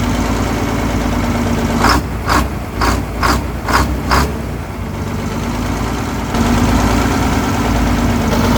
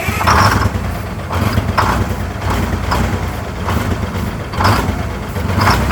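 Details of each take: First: 1970 GMC Astro, Detroit Diesel 6-71 two-stroke, just revived after 25 years off the road: a few sharp knocks, then settles into an even steady idle without the earlier surging, much better than before; running smoothly. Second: 1970 GMC Astro, Detroit Diesel 6-71 two-stroke, running after 25 years off the road: idle rising and falling in waves about every second, loudness swelling and dropping; surging idle, cause not confirmed.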